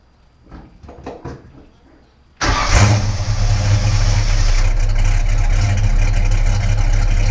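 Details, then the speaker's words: Newly built custom Falcon with a 1990s V8 and a single Walker Quiet Flow 3-stage muffler into a Y-pipe; it catches after a couple of cranks and settles into a deep, even idle with a soft gurgle heard at the back of the car; healthy. "It's nice and quiet inside the car, but you let it get a little bit of a gurgle out the back."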